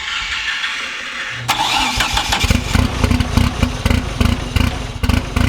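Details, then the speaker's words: Fully built 4G63T mid-engine Eclipse, first start after install with O2 sensor unplugged so ECU dumps extra fuel: fires quickly then choppy, loping big-cam-like idle; fuel pressure and tune adjustments didn't help, owner suspects timing; rough lopey idle. "we couldn't get the 4g to not sound like a super big camped k series which although it sounds cool was a bad thing"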